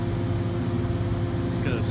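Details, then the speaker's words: Rooftop HVAC unit running smoothly with a steady low hum after its motor with shot bearings was replaced (pulley pulled, new motor mounted); previously rambling and tumbling, now quiet: normal running. "Sure is a lot quieter. This was the one that was rambling and tumbling and fumbling. It's all happy now."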